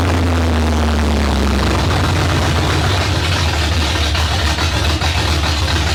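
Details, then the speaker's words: 1972 Ford Maverick with a freshly rebuilt 317 V8, no exhaust and no coolant, carburetor untuned. A loud, slightly uneven, hunting open-exhaust idle. Erratic idle; owner says the carburetor floats are too low and still suspects a possible air leak. "yeah it just seems like it's bouncing around a little bit it's not real consistent so floats got to come up too they're too low"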